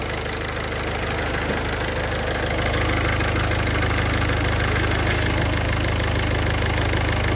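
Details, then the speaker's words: Idling engine: faint, rapid high-pitched cricket-like chirping from a clutch release bearing whose balls are starting to wear. "Esse barulho parece estar vindo do rolamento de liberação (embreagem) ok, ok, desligue-o!"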